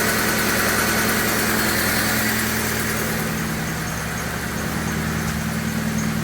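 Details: 2001 Honda Civic LX sedan just restarted after alternator, coil pack and cam cover cap replacement: a steady, even idle with a smooth regular pulse and no misses or knocks. The owner notes the idle RPM is quite low. Normal idle.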